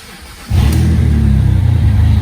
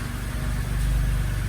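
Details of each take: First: 2007 BMW E86 Z4 3.0si Coupé started with stock exhaust removed, running straight off headers and cats, in neutral; loud deep bassy rumble at low rpm like an old tractor or straight six; loud exhaust with mufflers removed. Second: 2007 BMW E86 Z4 3.0si Coupé just fitted with new Scorpion Red Power exhaust, first start and leak test; deep smooth even idle, quietest in a long while, engine audible over exhaust, no ticks or misfires; normal idle.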